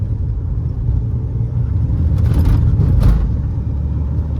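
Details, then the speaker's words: 2017 Mahindra XUV500 with the 1.99-litre diesel, about 64,000 km, accelerating in third gear up to 80 km/h; a low, even rumble swelling smoothly as revs climb, with no knocks or rattles and no noise at all. "Smooth अलग level की smooth उड़ती हुई जा रही है 80 की speed पर गया हूं मैं रत्ती भर की भी मेरे को कोई नॉइस की कंप्लेंट है ही नहीं इस गाड़ी के अंदर से"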